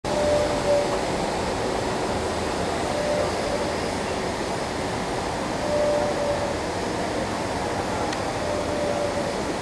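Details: Ventec dust-collector filter at start-up with a well-sized cleaning/discharge system: even, airy fan rush with steady flow and no surges, rattles or knocks. Normal operation.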